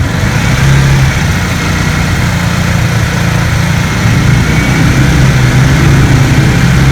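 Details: Honda CB150R after rebuild fixing rough-running engine (shims replaced, valve clearance that was too loose corrected, worn clutch rubber replaced): smooth, even single-cylinder beat picking up cleanly on throttle, no ticking; healthy engine.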